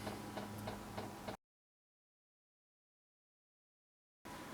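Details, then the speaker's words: Cheap eBay-style diesel heater, first start after installation, priming through the LCD controller: quiet, even ticking about three times a second over a faint hum as the dosing pump primes. "You push up, and we can hear the pump in the background. I'm not sure whether you can hear that, but I can hear the pump just ticking."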